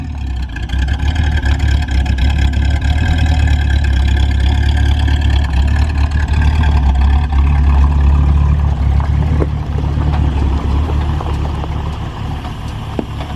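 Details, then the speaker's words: 1973 Ford Mustang V8 after fitting single-wire distributor, new plug wires, spark plugs and carburetor; deep steady rumble holding even, no misfires or stumbles; normal running. "sounds good single wire distributor plug wires new spark plug and carburetor now she runs good"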